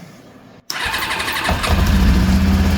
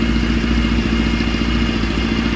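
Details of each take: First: Kawasaki GPX 600R after sitting well over a year, carbs rebuilt and filled, running on choke: catches and idles unevenly, revs sag and bog on each throttle blip, faint slight knock underneath; rough running, not taking throttle. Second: Kawasaki GPX 600R after carb overhaul, sat over a year, air filter not yet fitted: quick catch and an even, busy four-cylinder idle with a steady beat, no missing or stumbling; carbs running cleanly, not yet balanced.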